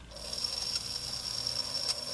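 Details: Farish N-gauge GWR Hall 'Sketty Hall' loco (R238), opened up with tender and pony removed: steady high squeal over the motor whir persists; the squeak was isolated to the armature bearings.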